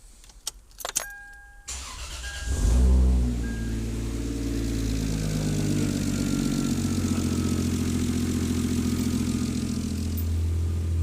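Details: Toyota 2JZ naturally aspirated engine, first start after a one-day bottom-end rebuild for rod knock, no radiator fitted, oil pressure restored: cranks, catches and settles into an even, steady idle with no rod knock.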